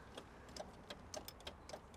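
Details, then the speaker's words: 1985 Citroen 2CV6 Special, two-cylinder, one-owner barn find, non-running, with oil squirted down into the cylinders. The starter solenoid clicks about three times a second, moving in and out, but the engine does not crank; it seems stuck. "no starting no starting that's just that that solenoid I can see it can you see do you want something to top it with it's moving in and out look"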